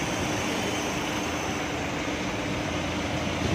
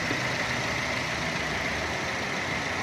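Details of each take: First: 2016 Chevrolet Cruze at idle: a thin, steady high-pitched whistle sits constantly above the engine hum. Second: 2016 Chevrolet Cruze after PCV valve replacement: even, steady idle hum with no whistle or hiss riding over it; the engine idles cleanly and smoothly, the high-pitched whistling fixed.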